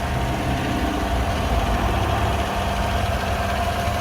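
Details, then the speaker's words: 2015 Chevrolet Tahoe LTZ 4WD V8, recorded at engine bay after cold start: deep, smooth, even idle with no knocks, ticks or misses; healthy engine. "See that V8 engine idling very happily off of this cold start. I'll let you hear it uninterrupted."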